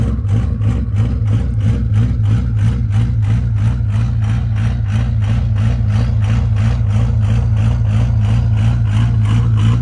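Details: 1973 Ford F700 truck, old worn 6-liter, cold and still on high idle while warming up: steady diesel clatter with an even rumble and a low rhythmic chug; a normal cold idle.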